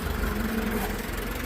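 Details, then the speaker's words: International 504 four-cylinder tractor idling right after an easy start. Steady low even rumble with no knocks, misses or rattles: a normal, healthy idle. "Sounds good. It actually looks good. Little 4-banger."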